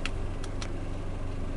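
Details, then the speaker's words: Suzuki Katana with original idle-up, second hose plugged with a bolt, single solenoid, AC not yet on. Low, steady idle with an even beat and only faint light ticking on top. Engine settled and running normally. "belum saya nyalakan. Tapi begitu saya nyalakan nanti tetap dia tetap stabil."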